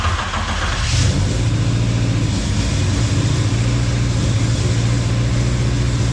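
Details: Honda Civic, rebuilt engine, fired up again with everything connected to cure an exhaust leak: quick blip, then a low, even idle hum with no ticking or puffing; exhaust sealed, normal idle.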